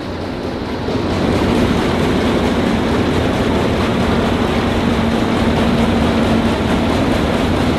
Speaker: ist ja klar die ganze ketten alles einzug der läuft jetzt quasi trocken also ohne material